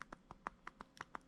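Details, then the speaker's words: Quick, sharp metallic clicks, about six a second, from a removed BMW 3 Series steering coupler knocking back and forth at its steering shaft input side; loose rivet causing steering play. "you guys can hear it it's actually knocking back and forth it's just this side this is actually the steering shaft input side of it"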